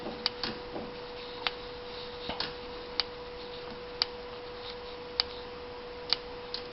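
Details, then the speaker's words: 1992 Honda with no spark, no injector or fuel pump signal (PGM-FI tested good): jiggling the wiring brings sharp irregular snapping ticks over a steady hum as the coil intermittently fires; compromised wire or connector is dropping the computer signal and 12-volt reference. "So right now the coil is starting to fire. So that tells me that either in the connector or in the wiring itself here, the wire's been compromised, and so it's not receiving any kind of a signal off the computer to turn the pump on, to fire the coil, fire the injectors."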